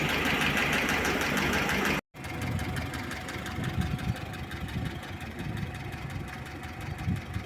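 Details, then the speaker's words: VAZ 2101 with cold engine at idle, used camshaft: fast, fairly regular light knocking, about four per second, over the drone; owner suspects the camshaft howling and needing replacement; not confirmed; engine ticking. "сейчас её выгоню на улицу пусть она тут греется поклад воет распредвал"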